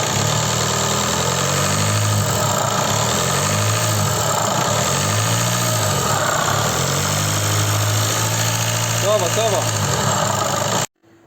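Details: 2014 Seat Leon 2.0 TDI idling after adding a product to the oil and 10 minutes of running: steady diesel idle with a faint uneven knock, quieter than before but still present; engine knocking at idle, cause unclear.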